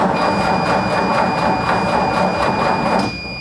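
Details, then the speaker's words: 1960 Ford F100 pickup, sat outdoors and brought inside after poorly done maintenance and a cleaned gas tank: even chugging over steady starter whine as it turns over normally but has not caught yet. "Okay, it turns over. Did a thing."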